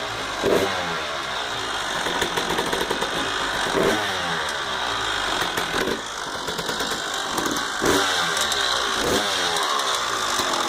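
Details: 1999 Honda CR250R two-stroke dirt bike running: busy, metallic weird rattle riding over the engine note; cause unknown.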